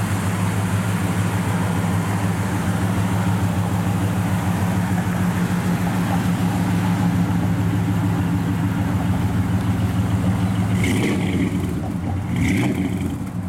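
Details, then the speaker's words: Restored 1967 Chevrolet C10 Custom with 327 V8 after a frame-off restoration, started and idling: deep, steady burble with even firing, no ticks or knocks; fires up and runs perfect, normal idle. "We'll fire it up. Fires up, just runs perfect."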